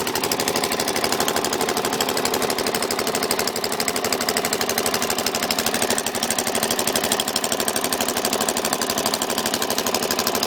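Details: Suzuki DR-Z400SM single-cylinder engine at idle, with loud, sharp, rapid clicking that began after over-revving in 1st gear. It seems to come from the carb/crankcase area and goes very quiet in 5th gear. The cause is unconfirmed.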